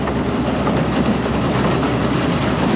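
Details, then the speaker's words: Auction-bought Massey Ferguson 82 combine with the separator engaged and running. Steady, even rumble and rattle with no knocks or squeals; described as very quiet. Normal running. "So, okay, separators in here. It's doing the thing. Quiet. So quiet."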